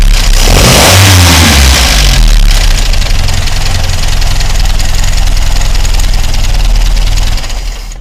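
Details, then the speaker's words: 1962 Triumph TR3A roadster, about 61,000 miles (not verified): the four-cylinder cranks, catches quickly, revs cleanly and settles into a steady, even idle with no knocks or misses. Normal start and running. "now has the new wiper blades will start this engine up for a now so you can hear it run"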